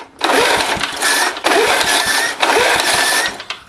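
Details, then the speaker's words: Old Gillson mower with a 3.5 hp Briggs & Stratton engine, thought to be from about 1971, fitted with a muffler from another mower. Three pull-starts give short chuffing bursts that die without catching. Hard starting; owner thinks the carb needs work, and the gas tank leaks. "Put a screwdriver down here. That's how I got it to start the last time. I think the carb needs some work for sure."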